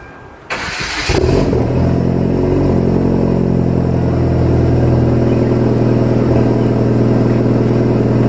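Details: Hyundai Genesis Coupe 2.0 Theta turbo, big turbo build: engine catches and settles into loud raspy run with deep steady drone; possibly exhaust leak. Cause suspected, not confirmed.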